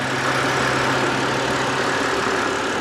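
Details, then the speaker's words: BMW E92 325i N52 manual idling: steady gritty rumble and whirr from the belt area; owner is fairly confident it is the dry belt tensioner/idler pulley bearing, possibly the fan too. "i'm fairly confident it's the dry belt tensioner you can even hear it here"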